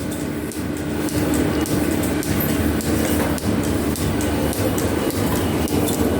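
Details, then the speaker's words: Metal planer on first test run after belt installation: steady run with a soft regular click about twice a second as the flat belt's fastener joint passes the pulley, typical of fastened flat belt drives; normal. "And you can hear the fastener going over the pulley here. And that's typical that is on flat belt drives."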